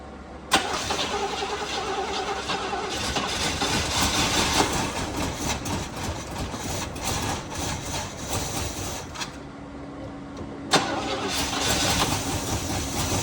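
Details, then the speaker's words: 1968 Chevy Caprice with carburetor, sat about 20 years, run without gas tank: cranks, catches and idles with uneven stumbling beat and a restart; still misfiring, heavy blowby from valve covers, smoke easing as it warms; cause unconfirmed. "Still missing out. Still missing out. I can still feel it. It's trying to come around."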